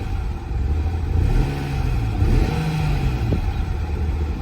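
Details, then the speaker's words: 1998 BMW 328is 5-speed with 195,000 miles, parked 10+ years, running on old gasoline with the check engine light on: it revs and falls back unevenly with a stumbling, lumpy note, misfiring and unable to idle; owner blames the ancient fuel. "it's got check light on that means it's there yep I can hear it who set that to that I can hear it missing"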